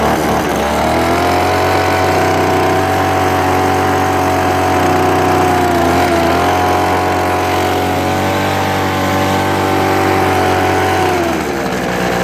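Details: Craftsman 25cc gas leaf blower, starts but bogs when the throttle trigger is pulled: buzzy two-stroke drone sags and struggles instead of climbing; dirty carburetor, deteriorated fuel lines and a worn, dirty fuel filter found.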